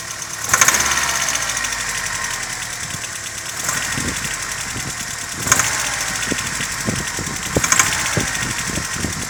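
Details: Opel C18NZ engine, compression 5, 5, 11.7 and 13.5: rough idle with sharp, uneven knocks. Head gasket blown between cylinders 1 and 2.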